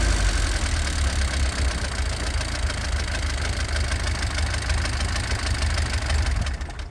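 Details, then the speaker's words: 1967 Alfa Romeo Giulia Sprint GT Veloce 1600 just after a rebuild, set up by ear and not yet tuned or timed, idling a little low: light quick ticking over the exhaust note, a tappety top end. Bucket shims are to be checked and adjusted after run-in. "So you can hear it's a little bit tappety, and these engines are known for being a little bit noisy in the cams"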